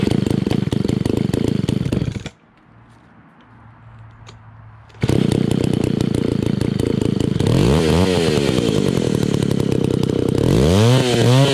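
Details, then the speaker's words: Old beat-up Italian Alpina Pro 120 (120cc) chainsaw with a 25-inch bar, carb kit just fitted: fires, cuts out, restarts and hunts up and down, never holding a steady idle; carburetor adjustment won't stay set, owner suspects low compression from a worn piston and cylinder. "you see it takes a little bit to start the carburetor adjustment doesn't want to seem to stay you have to keep on messing with the carburetor to get it to idle"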